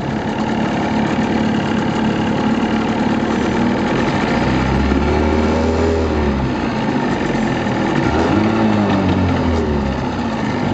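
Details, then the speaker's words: 1983 Johnson 25 HP outboard on first run, lightly choked at start; steady even buzz lifting slightly with throttle, pumping water well, no knocks or misses, running healthy. "running pretty smooth looking good pumping water real good can see give a little gas"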